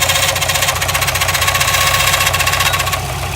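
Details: Subaru WRX STI idling: sharp metallic knock about four a second, first thought to be rod knock. It was a failing timing tensioner; the noise stopped once tension was applied.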